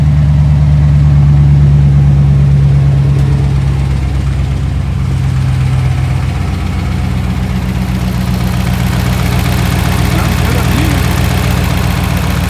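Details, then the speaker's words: 2010 Dodge Ram 1500 5.7 Hemi (described with a lifter/cam issue) after fresh oil and coolant: steady, even low rumble with no ticking, purring but loud from the broken exhaust; smooth, healthy V8 idle. "It's purring. Kind of seems loud. Got some oil. The exhaust is broken."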